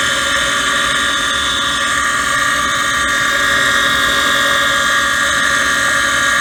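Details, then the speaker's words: Gas furnace inducer motor mid heat cycle: constant loud high-pitched screech over the motor hum; the motor is failing and needs replacing. "before listening to that motor screen i hate to shut them down but uh need to get it fixed"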